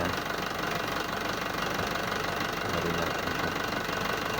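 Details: Hino 300 diesel truck just started after an oil change and new drain plug, before the oil level is rechecked. Steady idle clatter, an even tick about three times a second with no misses or odd knocks; sounds healthy.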